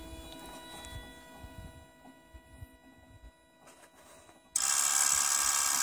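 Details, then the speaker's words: 2008 Toyota Prius in park, climate control off: faint steady whine, then a sudden loud high-pitched chirping hiss after the brake accumulator pump cycle stops; cause unknown. "there's also an interesting like high-pitched chirping noise hopefully you can hear that after the accumulator pump"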